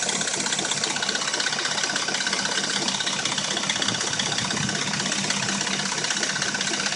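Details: Dodge Intrepid at warm idle: light metallic rattle with a steady tick about three per second. It only rattles and knocks when warm and sounds like new when cold. Timing chain or valvetrain suspected, unconfirmed.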